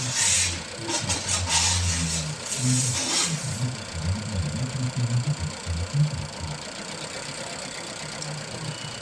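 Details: Nissan Juke with a misfire; after starting it idles lumpy with an uneven stumble below once a second; coil testing and a compression test gave poor results, pointing to a misfire from low compression.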